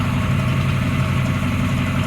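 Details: 1968 Camaro convertible V8 at cold idle on a February day, engine at 46–47°F at start: deep, even burble with a steady beat, no misses or knocks, no major oil or white smoke seen; healthy.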